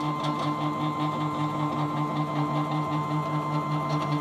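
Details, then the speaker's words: Small DIY CNC router, Arduino with CNC shield, Y axis stepper moving after changing speed parameter: loud buzzy droning tone pulsing two or three times a second; stepper motor resonance at this speed setting. "tô vendo a movimentação né e escutando esse ruído que tem"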